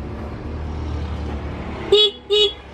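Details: Honda Beat scooter horn, rarely used, during adjustment: two short toots over traffic hum, a steady buzzy but thin tone; horn weak, fixed by turning the adjusting screw on the back of the horn for the loudest sound.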